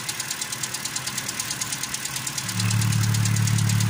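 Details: 2013 Toyota Corolla 2.0 XLI, 3GR gasoline engine at idle, noise reportedly fades when warm: sharp crisp ticking about three per second; first suspected rod bearing, but found broken roller rocker arm with increased valve clearance.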